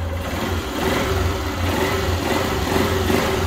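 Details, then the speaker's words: Small single 4 mm motorcycle with a newly developed silent performance cam, original carburetor and exhaust: revs rise and settle with even firing and no top-end ticking. The cam noise is gone. "olha ISS só mano acabou o barulho filho"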